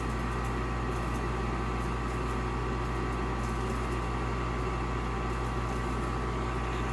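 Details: Olsen Ultramax HDS 90M gas furnace in its normal heating cycle; the inducer draft fan and burner give a steady, even hum and whoosh with no rattle or surging. Normal operation.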